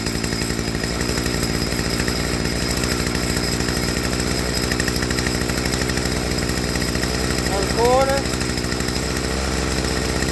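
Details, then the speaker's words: Stihl FS55R trimmer after HIPA carburetor swap, tuning low-speed screw: steady two-stroke idle buzz, then pitch drops as the mixture is leaned too far; turned back until idle picks up smooth. "You hear that drop? So, I want to turn back in easy, just until that idle picks up nice and smooth."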